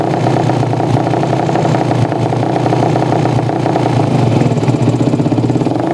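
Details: Yamaha Jupiter MX motorcycle that stalls and is hard to start: rough, stumbling, popping beat as the throttle opens, never picking up cleanly. Suspected carburetor fuel mixture too lean or too rich, else an ignition fault.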